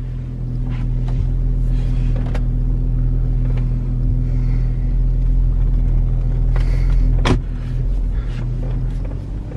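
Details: VW Touareg after center driveshaft bearing fix, pulling off in reverse then driving: steady low rumble, no clunks, grinding or whine; no vibration felt up to 90.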